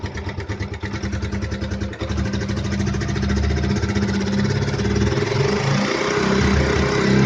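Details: Gixxer 155 single-cylinder engine revving up from a choppy idle: a light rattly clatter rides over the exhaust beat. Timing chain rattle is suspected, not confirmed.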